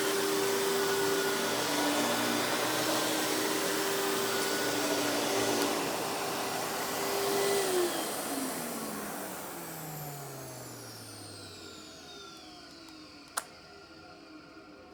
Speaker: So as you can hear, this runs very smooth. Definitely isn't the quietest of canisters, but that's kind of the thing with cheaper canisters of the time.